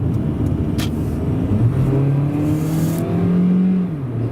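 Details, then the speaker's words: Toyota Corolla 1ZZ engine with VVT-i, about 70-80k miles, accelerating onto the freeway from a green light, mic in cabin: engine pitch climbs smoothly under load then steps up audibly as VVT-i engages; normal healthy pull. "And you can really hear that VVTi kick in. It's like, it was something I noticed, because this is my first Corolla with a VVTi engine."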